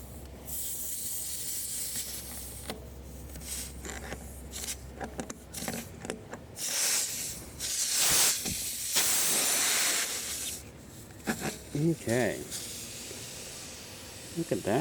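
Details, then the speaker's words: Tubeless motorcycle tyre with a screw puncture, inflated to about 40 psi before plugging: a loud steady hiss of air escaping that surges in bursts, a clear puncture leak. "I'm going to take it to about 40 pounds, just for the purposes of plugging it. All right. And I can already hear it hissing."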